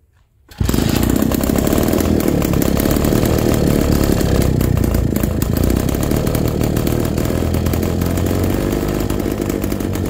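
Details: MZ BK 350 two-stroke at first start after restoration: catches within a second, then a fast, crisp buzz holds an even note without misses; normal running.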